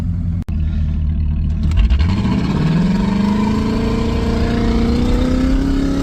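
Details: 1985 Mercury Marquis police interceptor 351 Windsor V8, automatic, posi-traction, timing 12°/36°, under hard throttle: deep rumble climbs smoothly as revs build, pulling cleanly with no stumble; no-burnout problem fixed, transmission leak and kickdown remain; healthy strong acceleration.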